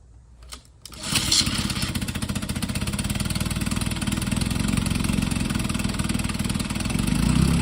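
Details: 1952 Johnson SeaHorse 10hp two-stroke outboard, picked from the trash, carburetor and water pump impeller untouched, small gas drip: catches within a second and settles into a steady, even putter with no misses, pumping plenty of water; runs normally.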